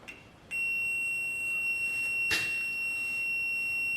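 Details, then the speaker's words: Trailer marker light circuit with LED lights, fuses popping: a multimeter in continuity mode gives a steady high-pitched beep, showing continuity to ground (about 1.3–1.5 ohms), so the circuit is shorted. "Okay, so I turned the beeper part on. Hopefully that beeping won't be too annoying."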